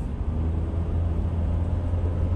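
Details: 2007 Honda CR-V on the freeway after rear passenger-side wheel bearing replacement: steady low road rumble at highway speed with no rising wind-up drone. Normal wheel bearing noise.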